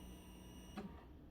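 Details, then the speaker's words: 2006 Kawasaki ZX10R project bike, said by the former owner to have a loud knock, battery untested: a quiet electric whir at key-on that cuts off cleanly, the fuel pump priming normally. "Make sure we're on. Oh, we got prime. That's good."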